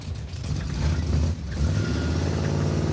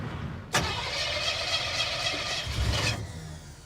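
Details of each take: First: Junkyard 1957 Chevy V8 just fitted with an ATI off-the-counter distributor replacing the old one; even steady rumble picking up cleanly with no hesitation except one small one, best it has sounded. Smooth running. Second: Junkyard 1957 Chevy, sat four decades, fuel barely spurting into the filter; engine catches sharply, runs ragged about two seconds, then dies; old mechanical fuel pump not pumping, to be replaced. Failed mechanical fuel pump.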